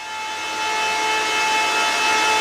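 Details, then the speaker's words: Bitmain Antminer S21 XP Bitcoin miner heard from about 10 feet away, loud steady airy fan roar with a sharp constant high-pitched whine above it; startup was about 100 decibels. Normal running noise. "But there's this really high pitched whine. You guys could probably hear it in the video here. I can hear it, this thing upstairs. Like it's very apparent, a very specific noise."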